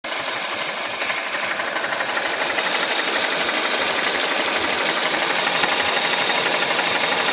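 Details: Mazda CX-7 2.3 Turbo: steady rapid ticking knock about three per second over the running engine; owner suspects camshaft gear (actuator), not confirmed; engine knock.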